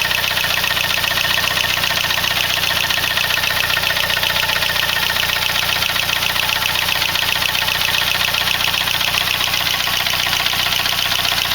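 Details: Saab 9-3 B205E engine at idle: a busy, fast mechanical chatter, roughly two beats a second, rides on top of the idle. Abnormal engine noise; cause unclear.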